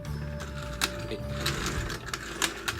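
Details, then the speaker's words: RC truck ("Lunchbox") with 12-turn motor, sharp irregular clicking as drivetrain binds and locks up after rear axle gearing was completely broken on last run; something broken inside, needs stripping down. "hear it there clicking away. There's something broken in there big time, so I need to rip that apart, see what's going on with it."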